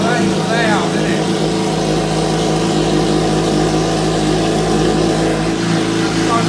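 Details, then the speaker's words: Salvage Suzuki GSX-R motorcycle, exhaust pipes stripped, started on a jump pack with clutch pulled in, coolant unchecked; loud open idle with a steady, even beat and no knocks or misses, running normally. "I haven't checked the water or nothing, but that has just made it so much more better now. Now it is a runner."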